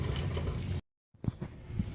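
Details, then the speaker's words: 2003 Volkswagen Jetta, driver's side front outer tie rod. Rocking the wheel by hand gives a few soft, dull clunks with up-and-down play, from a worn ball socket with extra clearance. Tie rod to be replaced. "Now, you move this back and forth like this. This is turning, this isn't, like I said. And you hear that noise. Also, if you go up and down with it, there's play in here."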